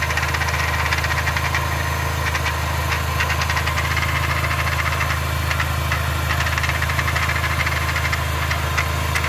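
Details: 2004 Mini Cooper 2.0 four-cylinder, manual, jumps out of third gear: steady idle with a fast, loose ticking rattle about three per second, heard as coming from the transmission; shift cables suspected, not confirmed.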